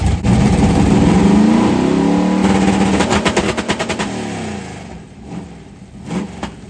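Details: 1990 Lincoln Town Car, carbureted 5.0 V8 (1989 HO shortblock, 750 Holley, Anderson N4 cam, BBK long tubes, MSD 6AL), T-5 manual: deep lumpy rev held against the two-step launch limiter, rapid crackling pulses, then settling back; strong, clean-running.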